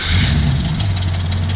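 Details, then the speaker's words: LS1 V8 swapped Toyota Corolla AE94 just after cold start: deep lumpy idle overlaid by fast, fine metallic chatter; suspected timing chain rattle on startup, to be fixed. Cause suspected, not confirmed. "You'll hear the boss's nice timing chain rattle on startup, which"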